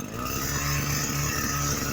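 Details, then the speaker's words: Echo SRM-225 two-stroke trimmer after cleaning black oily parts, refitting cover and filter, fresh gas, choke adjusted while running: revs high with clean steady buzz, no bogging, torque better than ever; normal running. "as it was running i adjusted the choke a little bit more and man it's running like a champ the torque is better than ever"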